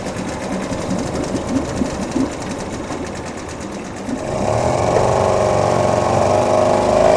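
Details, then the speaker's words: Small outboard being serviced; it purrs with a quick, even buzz, settling into a steady higher note. Normal running. "Нормально работает."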